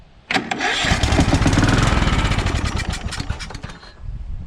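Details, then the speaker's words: Free, crusty Craftsman DYT4000 with Kohler Courage 20 hp engine, first start on carb spray with choke on and a dirty fuel filter: kicks right over and settles into a strong, even beat with no knocking. Normal start and run. "well sweet um kicked right over sounded good i didn't hear any knocking"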